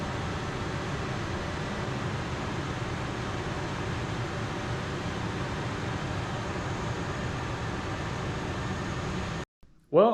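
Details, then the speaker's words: 1997 Ford F-150 4.6L V8 at idle right after replacing spark plugs and ignition coils: even, steady drone with no skips; previously shook at idle with two cylinders misfiring, now really smooth. "but when i crank it up just now it's smooth it's really smooth"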